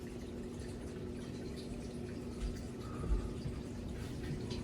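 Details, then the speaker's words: Garage utility sink drain heard at the main stack in the basement during first test: soft, even rush of water with no gurgling or glugging; drain flows freely with no major leak. "I don't see any major leak going here, so as you can hear, the drain is flowing through just fine. That's the main stack right there. Looking good. It's working just fine."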